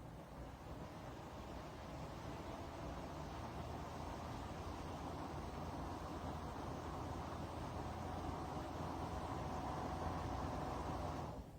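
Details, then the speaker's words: Dreo Pilot Pro tower fan at its top speed, level 9: steady airy rush with a faint even motor whir underneath, owner unsure if bearing-related or typical; motor whirring at high speed. "or I should say, spinning, but at least to my hearing I don't hear that slight whirring or bearing noise that I did in the Pro."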